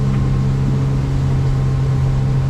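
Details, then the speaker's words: 1987 Arima Sea Chaser boat outboard at full throttle on water test, trimmed down, planing in about four seconds, about 20–22 mph against the current: loud, even, deep drone with no misses or knocks; runs well. "motor runs really good so I'm going to straighten this out we're going to go against the current now so we're going to lose speed"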